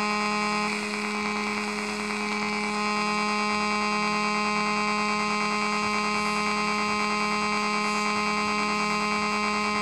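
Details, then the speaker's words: Homemade AC-powered AM transmitter, heard on an AM radio: a steady, even buzz; the 485 Hz background oscillation is nearly gone when fully tuned. "there is a a pecul oscillation I hear sound oscillation um at the back of the Bas Stone of 485 Herz and you can hear it in the background but when it's fully tuned that oscillation is almost gone"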